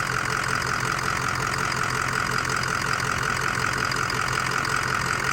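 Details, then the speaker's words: 2005 Ford Excursion Limited 6.0L Powerstroke diesel 4WD, freshly rebuilt engine, 138k miles: steady, even idle with a light, regular injector tick and no misses or knocks; no blow-by, normal smooth idle. "Come around back. Sounds good. Sounds really good. Not too loud. Just sounds nice."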